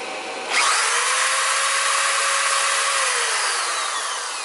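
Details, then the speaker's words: Electric drill, an inductive load, powered by a Reliable Electric 800W pure sine inverter with the trigger pressed fully and a brief high current draw: it spins up sharply to a smooth, steady high whine, then eases slightly. The inverter handles it without problem. "As you can see, there's really no problem. And momentarily it's drawing a lot of current, but nevertheless this thing has no problem at all."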